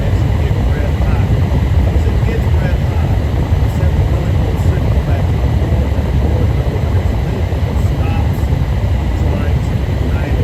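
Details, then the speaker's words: Propane furnace on a service call, restarted: ignition clicks, then lit with a steady deep burner and blower roar, no sputtering; normal operation. "Listen for the clicks. Don't want to get too close to it. That's what's clicking. All right, it is lit."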